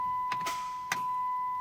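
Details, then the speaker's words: Chrysler 300 with no crank, no start: a few sharp dry clicks under a steady chime and no cranking at all; indicates the starter solenoid coming apart or not plunging internally. "those clicks guys that is usually that is usually do that that is usually indicator of your starter solenoid coming apart okay or internally not plunging"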